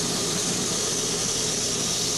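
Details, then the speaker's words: Cavitation demonstration rig, water through a control valve at approximately 35 psi pressure drop: steady even hiss with no crackling or popping; normal flow without cavitation. "currently holding approximately a 35 psi drop across the valve and find no evidence of cavitation"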